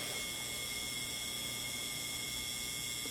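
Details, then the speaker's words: Insignia LCD TV with no picture: a steady high-pitched electrical buzz with several fixed tones from a humming, bad transformer on the power board. It was fixed by replacing the power board. "a transformer that is humming and obviously bad so what I did was I looked it up on eBay and I got a used board and I paid about 40 bucks for it"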